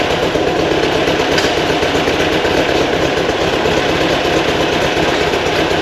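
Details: New 2180cc VW air-cooled engine for 1968 single cab during break-in, timing set, idle around 1200 rpm: steady, even chatter a bit above normal idle, no misses or knocks; healthy fast idle.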